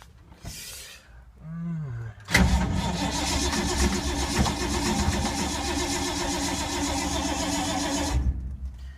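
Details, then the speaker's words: 1952 Ford, sat for months in rain, battery dying after long cranking: starter churns steadily about six seconds with a rhythmic whirr, never catches; cranks without firing, owner suspects no spark. "It's going to be the most epic hard start fail ever. I don't think it's getting spark."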